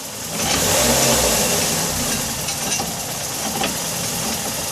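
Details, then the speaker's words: 2004 Nissan Sentra after engine and transmission replacement: revving under throttle with sharp irregular clinks and clunk over hissy engine noise; owner suspects an axle, not confirmed. "Press the gas. See that noise? I'm not sure what that noise is, so if anybody can help, that'd be greatly appreciated. We're thinking it's on the axle, but I'm not sure yet."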